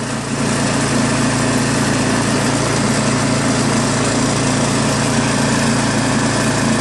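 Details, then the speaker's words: New Craftsman snowblower with Chinese PowerMore single-cylinder engine, after carburetor cleaned of gum and fuel system blown out: steady, even full-throttle drone with no hunting or misses; engine sounds really good, normal running. "So that's most of the labor involved, is getting it disassembled, you know. Other than that, engine sounds really good, you know."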